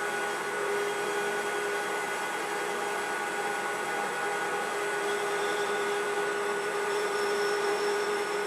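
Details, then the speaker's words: IZh 250 ITV lathe newly reassembled after overhaul, turning a gas-cut bar end for a tailstock centering holder. Thin high-pitched ring and fine rattle over the cutting hiss: chatter from an insert chipped on the hard gas-cut end, which leaves work hardening rather than a clean finish. "Ну, не знаю, как звуки на камеру, а мне отчетливо было слышно что-то типа мелкого дробления высокочастотного. Все дело в том, что отрезался этот пруток газорезкой, и на конце я немного запорол пластинку."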